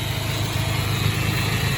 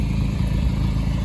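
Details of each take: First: 1993 Nissan Hardbody KA24E after timing chain job (oil pump re-clocked after being a tooth off), new water pump, NGK plugs and wires, new clutch: smooth, steady low idle, even pulse, no rattle or tick; truck running like a dream. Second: 1993 Nissan Hardbody KA24E with stage 1 cam, after timing chain job: steady low idle with a light, fast clatter over it, the stage 1 cam valvetrain rattling away.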